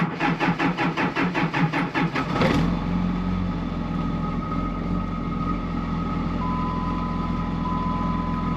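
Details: 2005 Ram 2500 diesel after new FASS lift pump and fuel lines, on battery charger; starter cranks about two seconds, fires and settles into smooth, even idle clatter, pump running, no leaks: healthy idle.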